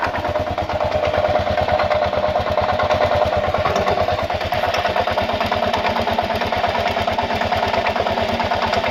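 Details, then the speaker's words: 2000 Kawasaki KLR650, about 45,000 miles (odometer reads 41k), clutch plates replaced ~1,000 miles ago, doohickey reportedly done; warm idle after 15–30 minutes running, steady single-cylinder beat with dry metallic clacking and grinding each firing, cause unknown. "usually have to use the choke so I don't know what that noise is"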